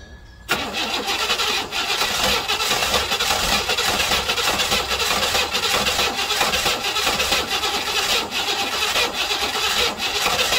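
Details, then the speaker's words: 1968 Buick Riviera parts car V8 cranking after timing set and fuel bowl primed, trying to start but not catching; steady rhythmic cranking with hissy, rattly starter churn, turns over without running. "It's trying to start, but something's not happening."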